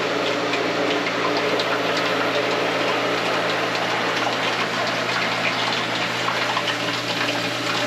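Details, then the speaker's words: Hayward DE pool filter pump restarting after a diatomaceous earth recharge: steady rushing water with a hissy, bubbly edge over the pump hum; air heard at the top of the filter while priming, expected to clear shortly. "Cleared up and minimal air bubbles. You can hear air at the top of the filter, but that'll go away shortly."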